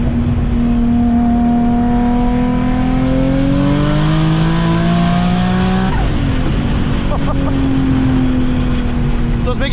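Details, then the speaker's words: Big-turbo Infiniti G35 coupe pulling hard at about 18 psi boost: raspy, leaky exhaust note under boost from an exhaust leak before the turbo, which bleeds off boost so it can't make peak boost. "it sounds like [ __ ] right now because of the exhaust leak but uh it seems like it's running okay"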